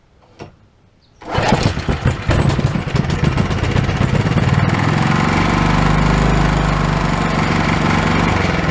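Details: Old Honda small engine sat for years, earlier ran only on starting fluid, now with throttle and springs reassembled: short pull, catches and settles into steady even idle, no misses or knocks; running normally.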